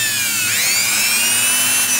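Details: Brushed electric planer motor run from a homemade DC-to-AC 60 Hz inverter using ATX standby MOSFETs: high clean whine climbs quickly to a steady scream at very high speed, no rattle or grinding.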